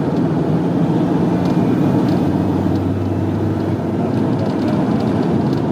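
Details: Land Rover Defender Td5 110 road test after fitting new intercooler (old one split at welds, no boost) and air flow meter: deep steady diesel drone pulling evenly under load, no surging or flat spots; turbo diesel healthy.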